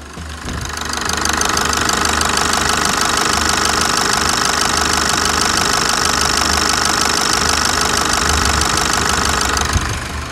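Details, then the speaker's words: 2017 Chevrolet S10 200 hp diesel, 148,000 km, after engine service (decarbonization, timing belt, water pump): steady, even diesel clatter at idle, about three beats a second, no stray knocks; normal diesel idle. "temos aqui o funcionamento do motor da S10 200 cavalos e e vamos ouvir essa melodia na lenta"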